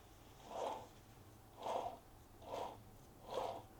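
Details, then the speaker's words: Ferrari clutch bell housing bearing, hand-spun after scrub cleaning without a parts washer: rough gritty rasp on each of four turns, about one a second; grime washed into the bearing, not present before cleaning. "So if you listen to this, you'll hear I've washed some grime into this bearing."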